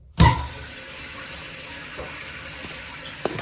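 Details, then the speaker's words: Toilet with newly replaced fill valve, supply just reconnected: brief gush then a steady, even hiss filling the tank and overflow tube, no sputter or whistle; fill valve refilling normally, no leaks so far. "So you can see it filling the tank while also filling the tube."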